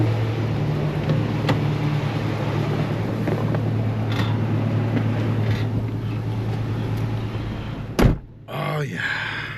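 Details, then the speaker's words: Toyota FJ Cruiser 1GR-FE after replacing a failed coil pack that had caused a flashing check-engine light and code P0301 (cylinder 1 misfire): steady, even low idle drone with no stumbles or skipped beats. Misfire gone, engine sounds healthy. "Let's uh let's let it run for a little bit and then uh we'll check. Oh, she sounds good. She's back."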